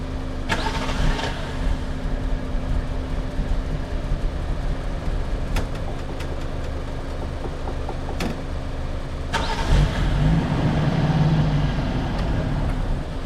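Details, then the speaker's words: Lexus SC300 with 1JZ swap, project car, after cleaning idle air control valve, intake manifold and sensor: engine catches, runs rough and uneven with irregular pops, then stalls; gunked-up injectors suspected, fuel smell noted. "this thing literally just cut on and then it died on me."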